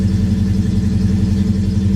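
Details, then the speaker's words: Ford Mustang, owner believes an injector is hanging up (smokes heavily): just after start-up holds a fast, even drone with deep steady pulse; sometimes idles real high, other times runs fine. "another thing it does is sometimes it idles real high"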